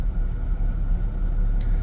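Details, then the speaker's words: 2003 Mazda MPV at hot idle, fan on, fuel trims slightly lean (long-term 12.5/10.2): low idle surging up and down unevenly, stalls on throttle; rough idle from a dirty clogged throttle body. "so you can see it's going up and down and it's it's idling now but it's running pretty bad"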